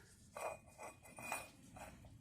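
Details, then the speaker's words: Volvo V70 worn wheel bearing turned by hand: uneven metallic clinks and gritty rasps; bearing caused driver-side grinding and rotor damage by working loose. "this is a bad one bearing you can hear it well did this to my rotor because when they go bad it gets loose and it starts grinding"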